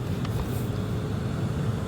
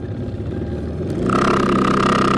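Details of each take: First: Lexus LS460, about 200,000 miles, after blower motor replacement for a noise: steady low, even fan whoosh with no scraping, ticking or wobble; new blower motor running smoothly. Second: Possibly a 2008 Lexus LS460: a failing blower motor gives a steady, piercing high whine over the airflow for several seconds, then winds down. It has a 3-pin connector, and the motor shuts down, possibly from load detection.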